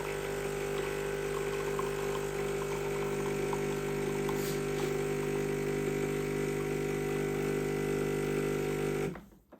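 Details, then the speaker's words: Used bean-to-cup automatic coffee machine during extraction: a steady, loud pump drone with a buzzing pulse that then cuts off, plus a few cracks from the internal mechanism the tester dislikes. The pump sounds noisy, cause unclear. "Persistent sound when it comes to extracting the coffee. A few cracks here and there from the mechanism on the inside. I don't like that"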